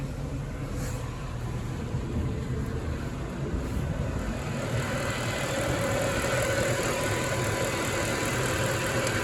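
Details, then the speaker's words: Mercedes ML63 AMG M156 V8, already warm, restarted after custom air intake box and dry-flow filter install, about 300 miles into break-in after head bolt job: even steady idle, no knocks, misses or ticks; sounds good and smooth. "it's warm right now already we just dropped earlier see how it sounds or if it's any different huh sounds good to me"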